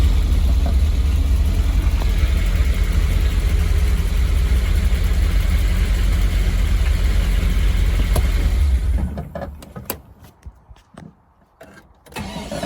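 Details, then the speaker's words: Triumph TR7 under restoration, driving slowly on an estate: low steady rumble with even thudding about three a second, then quiet; rhythmic knock while driving, cause not found under the car, also a separate noise reversing right. "It's got a bit of a buh, buh, buh to it as I'm running, which is why I didn't go any further."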